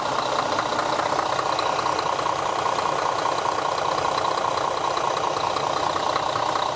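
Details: Diesel bus idling after an oil change and reseating a crooked filter cover that had hissed: even clatter at about two and a half beats a second, no misses or knocks; engine sounds healthy.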